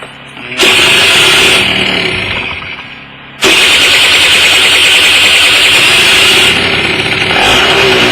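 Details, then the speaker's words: Kymco People 50 scooter small two-stroke, just after carburetor cleaning and refit, float bowl drained, started on manual choke: catches and settles into a buzzy, high-pitched, slightly uneven idle, feels a little rich at low end; jet change considered. "So I'm going to pull the manual choke here to get more fuel in there because there's no fuel in the carburetor since we drained it."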